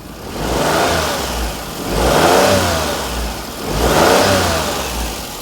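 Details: Perodua Kenari on 60,000 miles after alternator replacement, power steering pump still off, belt maybe slightly loose: engine revs up and down smoothly twice with no whine, just clean intake and exhaust note.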